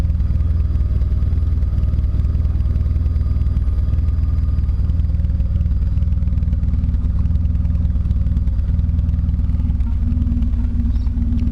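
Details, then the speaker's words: Toyota Corolla with a 4AGE swap, just fitted with an in-tank fuel pump and idling on jack stands on a cool morning without cold start: deep, even idle with no knock, misfire or pump whine. Normal idle. "it's all back in and it's running and my pump is quite as now like you can hardly even hear"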